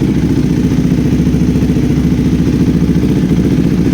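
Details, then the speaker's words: KTM 390 Adventure single after an NGK iridium spark plug replaced the ordinary NGK plug: a steady, even thump at about 3.5 beats per second with no stumbling or dying. Normal idle; the stalling is gone. "so guys ito na yung napalitan natin siya ng spark plug na iridium ayan yung kanyang idle"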